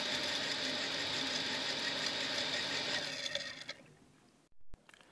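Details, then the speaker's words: Harsh, high-pitched rattling grind while a Shimizu water pump runs after being restarted, dying away as it switches off; owner suspects sand got inside the unit. "cuman bunyinya keras Hai berisik gitu kayak ada pasir yang masuk kedalam mesin ini"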